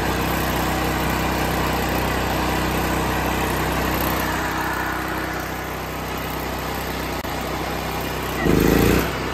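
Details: Off-grid generator running on liquid propane, choke set to run, powering a well pump sending water over 1,000 ft uphill: even, fast engine hum holding constant speed without surging or stumbling; running steadily.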